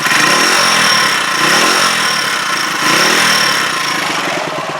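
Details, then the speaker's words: Huoniao HN125 motorcycle, warmed up for about 5-6 minutes: the small single ticks over nicely and picks up crisply through several blips, dropping back smoothly with no misfire. Healthy revving, though the rev counter is still suspect. "Rev counter's still a little bit suspect, but as you can hear, she's ticking over nicely. Revved nicely."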